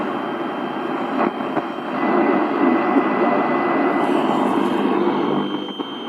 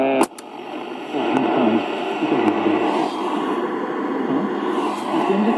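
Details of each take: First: 1960 GEC BC505 Transistor 7 portable radio, working, on long wave before a planned full capacitor replacement. Loud rushing noise with a faint, muffled station fading in and out, barely legible though the output is powerful; weak, noisy reception. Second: 1960 GEC BC505 transistor radio after repair, long wave: clear steady programme audio over light hiss. The hiss is RF interference from the bench. Normal reception, long wave working.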